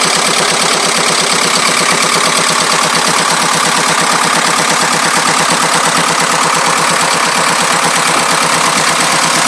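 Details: 2.25 diesel at a steady idle, clattering with a harsh metallic rattle on each beat, roughly three a second. The source is not pinned down. Engine rattle.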